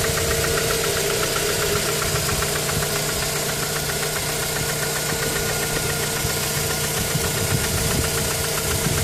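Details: Mazda 3 petrol engine at idle after a spark plug change, with a misfire when stationary: irregular knocking beneath busy mechanical clatter, with a stumbling rhythm; cause unknown.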